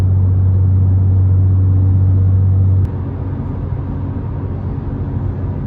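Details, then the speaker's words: BMW M car in the cabin at constant highway speed, before-and-after comparison: with ASD (active sound design) on, a heavy steady drone fills the cabin, then drops away sharply with it bypassed. The drone is fake noise pumped through the speakers. "If you want a good example of drone, here it is right now. I was going at constant speed in both clips, and as you can tell, with the ASD on, there's a lot more drone."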